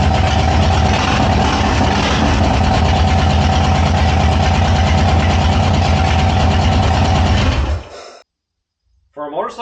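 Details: 2000 Harley-Davidson Sportster 1200 with S&S Super E carb, long sat without battery, first start on enricher: big twin catches and settles into an even, lumpy idle with a steady low beat for several seconds before shutting off; healthy.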